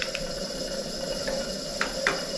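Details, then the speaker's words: Old Coleman camp stove unused for decades, pumped up, lit in about 16°F weather on "up to light" after opening the valve further; steady even hissing roar with no sputter or popping; burner lit and running properly. "just didn't have that valve open far enough once i opened up a little bit more she took right off"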